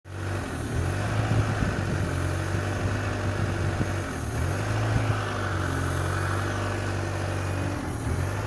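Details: Peugeot 307cc 1.6 16v 80kW rough idle: low, uneven, wavering drone. The engine runs fine with the throttle disconnected, but a new original throttle didn't help.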